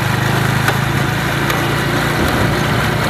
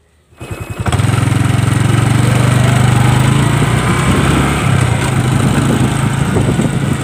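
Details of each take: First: Honda Wave 110i motorcycle pulling away, engine running steadily with faint sharp clacks from the rear about every second; worn drive chain and sprocket, fixed by replacing the chain. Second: Honda Wave 110i motorcycle after a new sprocket and chain: engine revs up and runs evenly, and the rear clacking when pulling away or snapping the throttle is gone.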